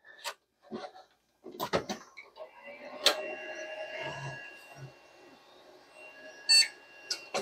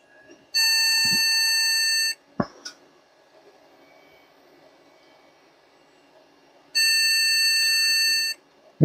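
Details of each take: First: but it does have a audio body you can hear the beep Second: so either it's not liking the ram or there's something else going on here my my gut feeling is the ram just because the noise that it's giving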